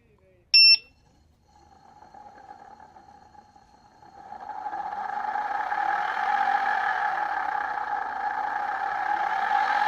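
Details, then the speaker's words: Begode Master/EX30 electric unicycle hub motor with worn bearings, before replacement: it spins up with a steady whine and a rough, gritty hiss; squeaking, creaking and clicking were much worse while riding. "that actually doesn't sound as bad as when I was writing it it was really bad when I mean the squeaking and creaking and clicking this"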